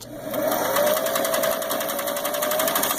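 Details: Vintage portable Singer Stylist 457 zigzag sewing machine on test at setting four: steady, even mechanical whir with a fast regular needle tick and no knocking or hitting; running normally (on setting five it hits something).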